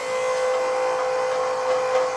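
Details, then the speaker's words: Motorcycle set up for its first methanol fire-up on RC car batteries: the fuel pump is switched on through the ECU's test output with all-new lines and fittings. It gives a constant, steady mid-pitched electric whine at about 57 psi, running normally. "see that says test what that allows me to do is turn that output on now you can hear the pump"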